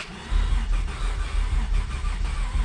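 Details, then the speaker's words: 1991 Ford Scorpio 2.9 V6 Cologne, sat long unused, boosted with second battery: starter turns engine over steadily but never fires; no spark suspected. "okay okay nothing I'm guessing we have no spark so let me go through all the connections here through the coil connections here and everything and we'll try again"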